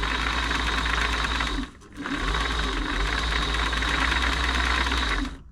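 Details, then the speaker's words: Singer 507 sewing machine (made 1974–76) after feed dog gear replacement and oiling, covers still off: quick, even mechanical chatter at about four beats a second with no knocks or binding; runs smoothly and much quieter. "quieter going the cover are back on it'll be even quieter"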